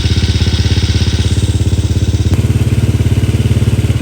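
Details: First start after fitting a full-spec 65 engine with clutch conversion: even single-cylinder thump at steady idle, about three and a half beats a second, no knocks or rattles; normal idle.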